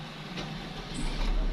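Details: Suzuki automatic with DTC P1644, cranking but not starting because of a key mismatch. After the key relearn it catches and settles into a steady, even low rumble within two seconds: a normal engine start.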